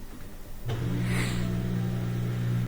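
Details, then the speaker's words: LG washing machine with LE error during a spin cycle to drain water: a steady low hum for about two seconds as the motor energises and the drum quivers but never spins. Faulty rotor Hall sensor at the back of the motor, replaced. "So normally at this point you get some rotation, but something's not working. It might give us an LE error here in a second. You can see kind of a quiver when the motor activates, but no spin."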